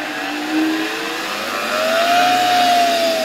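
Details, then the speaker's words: Bare commutator motor run from a 1992 Ukrainian RS-6-220 triac voltage/power regulator: a smooth whine climbing quickly in pitch as the knob is raised from minimum, spinning cleanly with no scraping; normal run-up. "czyli tutaj na samym początku O tutaj minimalnie w tym położeniu skali na regulatorze ten silnik Już powolutku"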